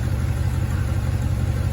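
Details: 1984 El Camino carbureted V8, first start in almost 4 years: steady, even low rumble at a fast idle with no misses; high idle likely caused by two disconnected vacuum lines, air screws also being adjusted.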